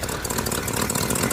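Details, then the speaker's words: 1965 Ford F-250 4x4 V8 at idle. A hose held to the ear pins down an exhaust leak, a quick puffing tick over the exhaust note, at the manifold flange. Gaskets get replaced, and the removed manifolds turn out riddled with cracks. "So I've got my hose here, my technique being listen in my ear, and you move the hose around and you can usually find exactly where the leak is because you hear it going in your ear."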